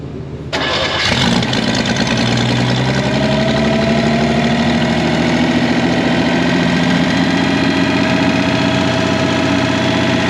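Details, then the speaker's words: Revived Chevy inline six (230 or 250, uncertain) with formerly rusted cylinders and stuck valves: it catches and runs up with a wavering, uneven note and busy top-end clatter; rough running, and the engine floats the valves. "well it runs she floats the valves but it runs"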